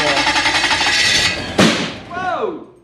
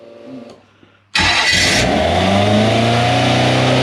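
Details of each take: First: Toyota 1UZ-FE V8 in a sterndrive boat, first run-up after repairs and checking the plug leads: the engine revs hard, then a single sharp loud backfire bang comes out the back and the revs die away; cause unconfirmed. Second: Toyota 1UZ V8 in a sterndrive boat, restarted after checking the plug leads and a lean backfire, catches and revs smoothly, pitch climbing and settling evenly with no pops or misses; runs clean, though smoky with some water seen near the fuel pump.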